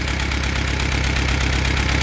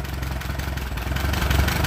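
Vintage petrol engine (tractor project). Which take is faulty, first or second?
first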